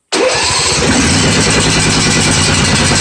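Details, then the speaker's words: John Deere 155D lawn tractor with 22 hp 724 cc engine, oil at full, reported as intermittent crank-no-start after sitting two weeks: starter catches at once and it settles into an even, steady chug with no miss or knock; fault not replicated. "I was told crank no start nothing but no we have have a problem because we cannot replicate the issue"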